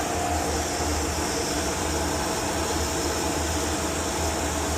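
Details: Oil boiler burner restarted after a service for smoking, with the oil pump left switched off: even fan rush and low hum with no flame ever lighting; no oil reaches the burner until the oil pump is turned back on.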